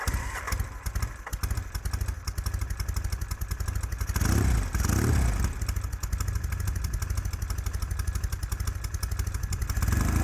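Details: 1975 Norton vintage twin, started for a neighborhood test ride after a failed ride the day before: fires up with a brief rev, then settles into a steady, even thumping idle without misfires; runs healthy.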